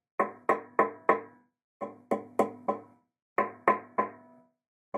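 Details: Guitar fret ends tapped with a screwdriver give sharp, ringing taps in quick groups; a probably high fret whose end has lifted loose, with the fret end on the other side also loose.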